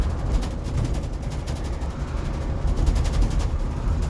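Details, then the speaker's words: 2018 Blue Bird electric school bus (bus #24) driving on morning route, heard from inside cabin: fast, dry chattering rattle over steady low road rumble; driver blames loose wiring in the sealed-off bulkhead, not confirmed. "That rattle would drive me nuts after a while."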